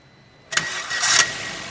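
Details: Maruti Swift (stated 2017 model), clutch pressed, called fully OK: a short crank catches within half a second, brief flare, then a steady even idle with no starter drag; normal engine start.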